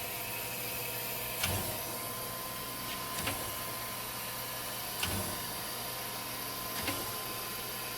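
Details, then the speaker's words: Chevalier FSG1632AD-II surface grinder after rebuild, in automatic surface grinding mode with auto downfeed: steady wheel hiss with a soft thump every couple of seconds as the table reverses, normal smooth grinding cycle. "Today I'm going to show you a video of the Chevalier 1632 AD-II. Right now it's in automatic surface grinding mode."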